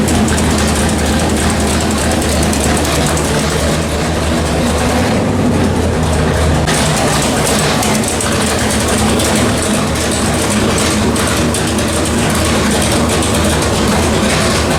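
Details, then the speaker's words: 1973 Dodge Charger 451 stroker big-block Mopar (1976 400 block), new Edelbrock Performer RPM aluminum heads, Sniper EFI, on dyno after repairs: loud, steady drone at even speed while warming to 160° for EFI learning mode; no knocking or misfire, healthy. "Anyway, it's fired up, obviously, as you can hear it. Life is good. We are getting up to temperature so it can get into its learning mode."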